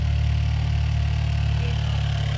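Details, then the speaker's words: 2016/2017 Chevy Cruze direct-injection engine, first cold start after installing TurboBay big turbo upgrade: smooth even low idle with steady hum, no ticks, hisses or uneven beats; sounds fine, no leaks seen, excess stuff burning off. "Alright, let's hear it. Sounds fine, I think. I'm not seeing leaks anywhere."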